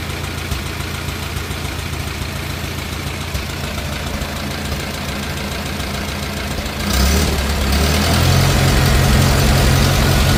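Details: 1950 Farmall Cub four-cylinder after engine rebuild with pop-up pistons, new magneto and on-off switch: even steady putter, settling then picking up slightly near the end, no smoke; smooth healthy idle.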